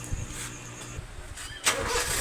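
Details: 2004 Honda City i-DSI after a no-click, no-crank fault, starter solenoid and carbon brushes replaced: single clean click, short crank, engine catches and settles straight into steady idle; starter working properly.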